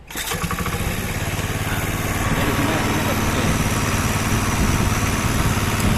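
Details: Old Honda Beat carbureted scooter that kept stalling, after replacing a faulty second-hand regulator/rectifier; now starts without a battery, fires right up and holds a steady, even single-cylinder putter with no misses; healthy idle.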